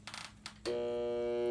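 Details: A switch click, then a steady electrical buzz that never rises into a run: a Hayward pool pump motor humming but not starting; the shaft spins free, so most likely a failed start capacitor.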